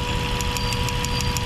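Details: Mazda 3 with long-standing misfire despite new spark plugs, fuel filter and fuel pump: rough idle with sharp crackling snap about six times a second, consistent with a cracked, leaking ignition coil arcing and misfiring.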